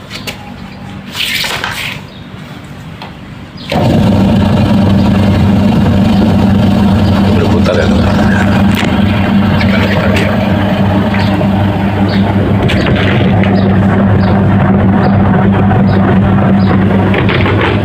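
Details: Denpoo twin-tub washing machine that only hummed, with the spin motor also dead, now rewired and plugged in: the wash motor starts and runs with a steady, smooth, even low hum, turning one direction under timer control.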